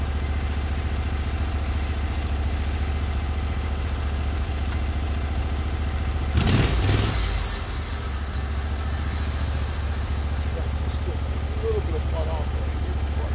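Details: Norwood HD36v2 bandsaw mill with new roller guides replacing the ceramics, slabbing big black oak in 1.5-inch cuts: steady low engine drone, no bogging, squealing or chatter; band sounds happy, normal cutting under load.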